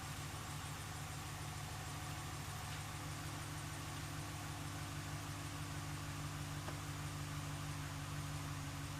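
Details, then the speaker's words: 1997 Eclipse GSX crank-no-start with a 95-96 ECU, cam sensor flipped 180: low, steady churning of the engine cranking without catching; owner suspects a timing issue and the cam angle sensor. "so now I definitely think it's a timing issue and I got to figure out the camera angle sensor"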